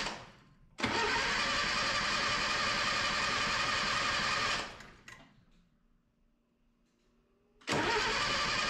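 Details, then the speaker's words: 1977 Datsun B210 after cleaning fuel and ignition systems, first start attempt; two long bursts of fast, even cranking with a pause between, turning over steadily but not yet catching. "oh it smells hey it sounds like it's going to start"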